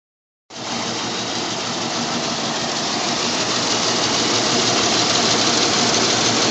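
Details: Jeep at rough idle with a steady rhythmic stumble, about three beats a second, under heavy hiss. Obvious misfire; owner suspects a shot compression ring, not confirmed.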